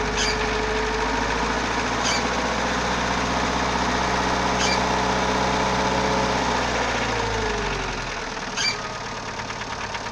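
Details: Idling CHT engine with a regular light knock about four per second that fades as it slows, source unknown; valves already adjusted, timing belt replaced and bottom-end clearance checked, owner still unsure of the cause.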